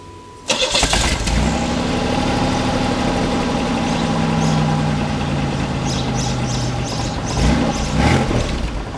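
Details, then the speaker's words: 1990 Buick Century after muffler replacement, with one broken hanger replaced by a coat hanger: cranks, catches and settles into a steady idle with a smooth low exhaust note; a rattle was traced to a loose front clamp, now fixed. "sounds pretty good the the hangar over here is right along there well we figured out what it was it was actually the the front clamp was just a little loose so now it's perfect"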